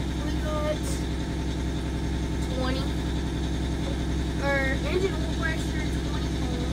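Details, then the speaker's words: 1989 Grand Villa with two-stroke Detroit diesel, just fired up on first start attempt: steady, even low drone with a smooth, unchanging beat and no knocks or misses; normal idle. "no I had soccer fired right up that sounds good that is just so cool Max listen to that sucker"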